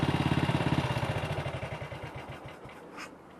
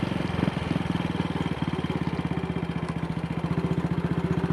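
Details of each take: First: Single-cylinder motorcycle with Wassell Evolution (Amal Concentric Mk 1 type) carburettor, after a needle clip repair and test ride: steady thumping tickover at about three to four beats a second, slowly easing down. Idle is a bit fast, and the owner may adjust the throttle stop screw. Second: Single-cylinder motorcycle test ride after repairing the Wassell Evolution (Amal Concentric Mk1 type) carburettor's twisted, dislodged needle clip that caused rich running, black plug and misfires; steady even low-rev thumping with no misses, now running well.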